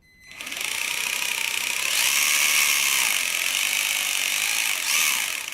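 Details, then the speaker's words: Wltoys A959 RC car with a defective motor: a high-pitched gritty whir rises and falls with speed. With the motor disconnected the free wheels are silent, so the noise comes from the motor and is clearly abnormal. "la voiture fonctionne mais le bruit est vraiment vraiment pas normal"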